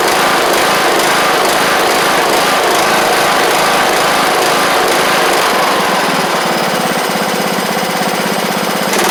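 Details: John Deere LA100 riding mower (5-speed transaxle), sat a long time with water in the tank and hard starting blamed on valves, now running off choke: loud, busy single-cylinder buzz at steady speed, no sputter or dropouts; runs evenly, though the spark plug is suspected to have failed.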